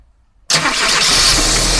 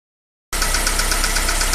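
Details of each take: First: Daewoo Nexia GM 8-valve after replacing worn rockers and dressing the camshaft: clean start into a steady, even idle with only timing belt hum, light whine and injector ticking; no knock, normal running. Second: Daewoo Nexia GM 8-valve, lifters already replaced, no piston or play faults found: sharp, light ticking about eight per second over idle, same cold and hot; worn rocker arm knock in the valve train.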